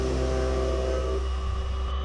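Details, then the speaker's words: New CNC machine with live tooling milling a part held by a small-diameter connection in the jaws: steady drone with buzzing tone fading after a second; workpiece chatter from the thinly held part vibrating. "Okay, so again, we have that small connection, so you can hear a little bit of that vibration going on."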